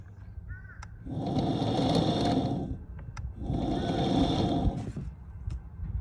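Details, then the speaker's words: Boat trolling motor run after long storage, on a boat with a 2018 Mercury Pro XS: two bursts with rough gritty whir and rattle under the hum; sounds like grinding inside, cause unconfirmed. "my trolling motor sounds like it is grinding inside all right let's listen to the sound"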